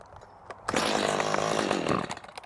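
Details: Stihl chainsaw, motor hot, about 83°F: catches and revs hard for about a second and a half, then sags and dies; it randomly stalls after starting, cause unknown.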